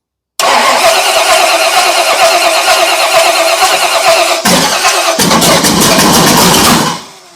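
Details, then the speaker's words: Cutlass bracket drag car V8 at first fire-up: catches and runs uneven and lumpy with irregular beat, then rev blip and cut-off; ignition timing is off and needs bumping; front carburetor bowl found empty. "yeah timing's not happy bump it a little bit"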